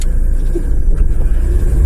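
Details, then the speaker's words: Dodge Caravan 2.4 after repair, engine running with AC switched on and off: steady low rumble, the AC engagement thump is gone; compressor pulley and tensioner were the culprits, though a whine remains, possibly from a wobbling AC pulley. "it took care of that noise so don't go replacing all your alternators and your compressors and everything just make sure you check that pulley on the compressor"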